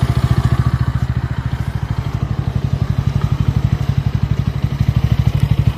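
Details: Bajaj Pulsar N160 idling with a hard, uneven pulsing thump and some clatter on top; engine was smooth until the first service at 500 km, rough ever since, cause unknown.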